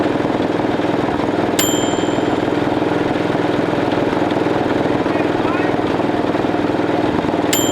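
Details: 1941 Caterpillar dozer, sat for years: pony motor cranking the main diesel, steady chugging about four beats a second with uneven pops, never catches; they suspect insufficient fuel, maybe the fuel filters.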